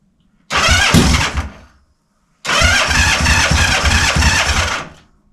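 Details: Honda CB450 Black Bomber, cold start on choke with idle stops set and small mufflers fitted, checking a rattle thought to be the cam chain: brief crank and catch, stall, restart, then a loud, steady, even idle with no rattle; healthy.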